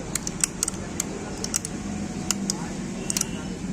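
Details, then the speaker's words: Hero bike with magneto cover removed, flywheel turned by hand, engine off: slow uneven light metallic clicks from a loose magnet inside the flywheel. "दोस्तों तो क्या है दोस्तों इसका magnet आवाज कर रहा है"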